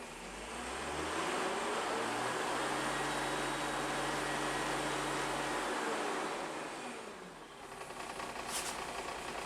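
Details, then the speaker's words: Repaired bus diesel after a week standing, warmed and revved, rear hatch up: steady low drone at idle holding even, no knocks or rattles, then fading; healthy normal idle, job well done. "Not an issue with it. Not an issue whatsoever. That is a job well done."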